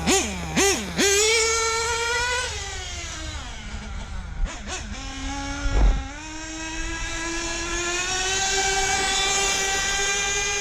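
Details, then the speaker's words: Nitro RC car with Hobao 13-tooth clutch bell in cold weather, about 45°F; buzzy blips, then an uneven double-tick idle that slowly climbs; low-speed needle slightly lean. "Do that little double tick over as Hagar says it. That double idle right there. A little lean on the low."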